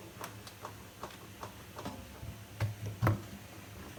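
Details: Samsung washing machine drum: quiet, loosely spaced ticks and knocks about twice a second, sharper thump near the end; began a year ago after drum spider replacement, slightly worse now; owner suspects bearings, unconfirmed.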